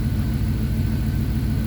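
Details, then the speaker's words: Abandoned Dodge Dakota R/T 5.9 V8 truck idling after being revived; low, even V8 rumble with steady beat, no ticks or knocks, smoother than a silver daily-driven truck; normal idle. "dud this thing's [ __ ] smooth wi rotors don't sound like it needs anything damn this truck runs smoother than his silver truck"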